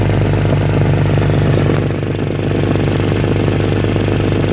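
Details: Exhaust leak at idle: a sharp, even, raspy puffing tick on every firing pulse.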